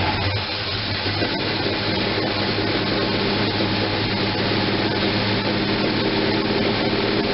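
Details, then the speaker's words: First run after gas tank install: engine runs lumpy and uneven, about three pulses a second instead of a smooth idle, because the manual choke was left fully closed; once opened it idles at 700. "so no leaks or anything nasty like that it just sounds like she's kinda choking the choke is closed totally close"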